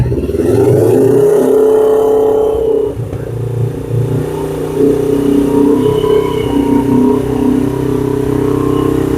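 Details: 2007 Suzuki GS500F twin, first longer run after sitting, on reserve, warming up on choke: revs up and settles to a steady, even note with no knocks, misfires or rattles; normal, healthy running.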